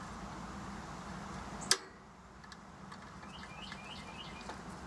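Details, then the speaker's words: Straight-cool AC condenser with warm-air complaint, pitted contactor replaced with a new one and 24-volt low-voltage control connected: one sharp, clean clack as the plunger pulls in, then a quiet hum, normal contactor pull-in. "I'm just about to hook up the other side of the low voltage, and as soon as I do that, the plunger will suck in because it's going to have 24 volts, so we're going to hear it click here."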